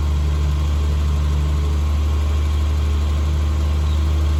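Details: 1974 Triumph TR6 idling roughly: deep, steady drone with an uneven, lumpy beat, not running cleanly. Owner reports backfiring at start-up and shutdown, run-on, heavy exhaust smoke, occasional backfire while cruising, poor mileage, sluggishness; compression, plugs, carbs and timing checked and adjusted.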